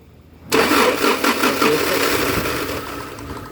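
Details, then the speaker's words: 2011 Toyota Hilux, crank sensor already replaced and wiring checked: starter spins steadily for about three seconds with no firing, no current reaching the ignition coils; crank no start caused by a faulty ECM. "तो आप देख सकते हैं कोइलो में current भी नहीं आ लगाओ सल्फ बस पलो में करंट भी नहीं आ रहा"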